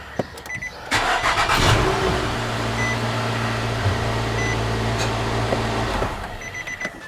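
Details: Engine jump-started by a NexPow G17 jump starter at 16.7 volts with the vehicle battery disconnected: brief crank catches quickly into a steady even idle before shutting off; healthy start and run.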